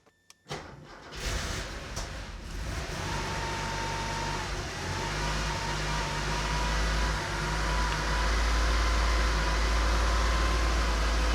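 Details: Porsche 912 started out of gear with gas pedal connected, only about a gallon of fuel in tank: engine catches, lumpy uneven run, wavering low drone, stumbling; worse than on engine stand, owner suspects fuel starvation from close supply/return.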